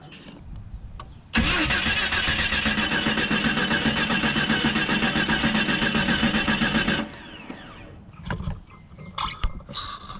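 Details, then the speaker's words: 2000 Jeep Cherokee 4.0L just rebuilt, low on power: steady even cranking during compression test, cylinders reading about 110–120 psi against 120–150 spec; low compression, later found wrong too-long lifters installed. "Again, that one is in the spec, but again, bare minimum. 120 to 150. You're at 120. Oof. That one didn't even make spec."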